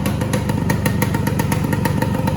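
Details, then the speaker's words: 1969 Yamaha AT1 Enduro, 3500 miles, cleaned carb and bled Autolube pump, kick-started: crisp, even two-stroke ring-ding about six beats per second, settling near Yamaha's 1500 rpm spec; normal idle. "it usually settles into about a 1500 rpm idle which is about what yamaha specifies it should be at"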